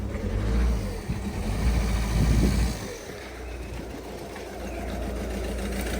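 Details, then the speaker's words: Peugeot/Citroen/Ford in neutral: rough, uneven idle stumbling about four times a second, wants to stall, no power; misfire from a shorted number 4 fuel injector (codes P0267-P0271). "You can hear how rough it is. It's not the best condition. It just feels as though it wants to stall. No power."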